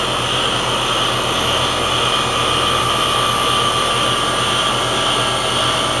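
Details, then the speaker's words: Heat pump with suspected faulty TXV, tested in heat mode to bypass the TXV; steady, even fan rush over a constant compressor hum, no rattles or surging; normal operation in heat mode. "we are running in heat bypassing the TXV and we have normal operation"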